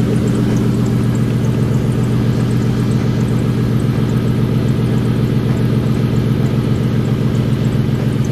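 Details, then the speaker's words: 2003 Mercury Marauder 4.6L DOHC V8, newly turbocharged, just started: deep, loud idle with a slightly lumpy pulse of about four beats a second, running really rich. "let's take a little time it's really rich"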